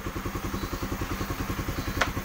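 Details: Honda CB150R after manually cleaning the clogged injector that caused no-start and 12-blink MIL; steady, even single-cylinder putter about eight beats a second, no misses or stumbles; normal idle, fuel delivery restored.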